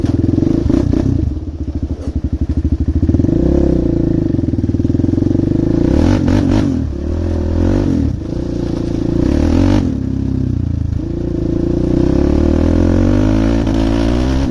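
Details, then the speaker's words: Arctic Cat DVX400 single after turning fuel screw out to three and a quarter turns, idle higher; revs rise and drop cleanly with no popping on overrun; smooth running, though it seems to hit a limit before full rev. "Well, she's not popping at all now, which is nice."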